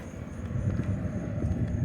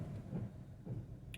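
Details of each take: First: 2008 Hyundai Accent 1.6 with heavy vibration and misfire codes P0301/P0302: low even idle rumble with no stumble or shake, keys jingling; vibration gone, engine smooth. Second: 2008 Hyundai Accent 1.6 running with a deep, uneven rumble and a heavy lump about every half second, severe vibration, and the check-engine light coming on; single-cylinder misfire, codes P0301/P0302.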